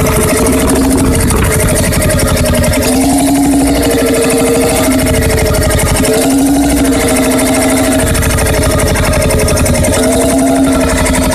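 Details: Freris-built Syros 1950-55 two-stroke 12 hp diesel, wick-started, restored 2014 after about 40 years idle: slow, even chuffing with steady low hum rising and settling smoothly; runs cleanly and healthily.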